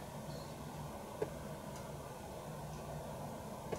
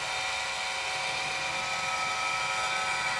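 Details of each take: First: Roctec RF332C external floppy drive on an Amiga 500, empty, before disk insertion: quiet hum with a soft click about every two and a half seconds; normal drive polling, showing Amiga and drive communicate. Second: Roctec RF332C external floppy drive on an Amiga 500, communicating but on disk insertion: loud steady harsh grinding with a hiss-like edge, no clean clicks, and the disk reported bad; drive mechanism faulty.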